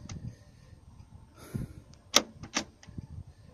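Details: 2007 Nissan Navara D40 front passenger door lock after repair: two quick, crisp lock clicks with no grinding, fixed by removing three bolts, moving the lock and pushing a pin back in.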